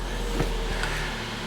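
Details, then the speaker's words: 2017 Suzuki Swift, crank-no-start: with starting fluid sprayed into the intake the engine fires and holds a low steady hum, showing no fuel reaching the engine; injectors, fuel pressure or empty tank still unchecked. "actually it runs nice I wonder if we did we fix it oh no we didn't we just introduced some fuel so it looks like this car no it doesn't look like this car is not getting any fuel"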